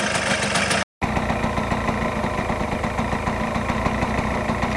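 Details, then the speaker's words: 1999 Yamaha Blaster two-stroke, warmed up on 32:1 premix after cleaning mouse-nest debris from the airbox, reeds and engine. It idles with a steady but slightly slow, lazy popping beat, so the idle needs raising a little. "sounds like the idle should come up a little bit but I think we're ready to go let me get the GoPro"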